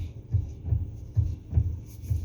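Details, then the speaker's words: 2013 Kia Sorento, engine idling after the steering column coupler rubber damper was replaced for a knock when turning the wheel. Only a soft, even low engine throb while the wheel turns; the column knock is gone. "noise is gone"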